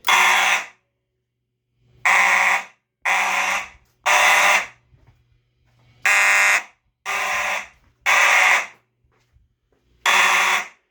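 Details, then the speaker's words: Mechanical horn on an EST IO-64 addressable fire alarm panel, tested in a shed. Harsh rasping blasts about once a second, buzzier than normal, likely because the horn was not getting clean filtered DC. "it did sound a little bit raspier and that's probably because it wasn't getting the clean filtered DC"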